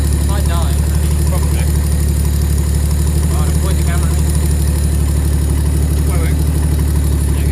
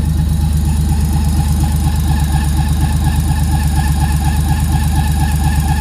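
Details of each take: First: Freshly built 400hp RB25 turbo Nissan S13 on Power FC, newly running after intake manifold refit: deep, even idle with a steady low hum, no hunting or stumbling; running right. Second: Freshly built 400hp RB25 turbo Nissan S13 on Power FC, just warmed up, first runs: even idle with a faint thin steady high squeal; source unknown, owners unsure if it is just warm-up.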